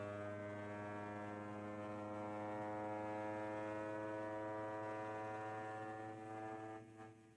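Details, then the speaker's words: Qidi Plus4 3D printer, new unit, running input shaping calibration: loud steady droning hum with layered tones that fades at the end; frame resonating quite a bit, input shaping notably loud. "lot of weird resonance in this machine I don't know if you guys are easily able to hear it or not but this machine is definitely resonating quite a bit"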